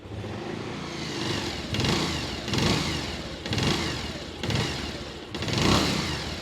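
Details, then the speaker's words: Bajaj Pulsar 150 after full engine rebuild (engine had seized, bike sat 2 years), cold start: five quick clean rev blips about a second apart, smooth rise and fall with only a faint normal Pulsar whine; healthy revving. "तो बस I think आपको idea लग गया होगा कि engine है वो कैसा साउंड कर रहा है अगर मेरे पर्सपेक्टिव से बताऊं तो मैं तो सेटिस्फाइड हूं इसकी आवाज से जो नॉर्मल पल्सर की साउंड होती है हल्की सी वाइन आती है उसमें वो एगजैक्टली सेम है"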